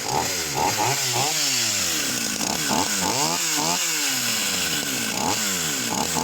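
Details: Vintage Husqvarna 44 chainsaw, freshly un-seized, low and high needles being balanced: revs swoop up and fall away every second or so. It surges and cuts out off throttle with backfiring, and touching the high needle floods it; cause suspected.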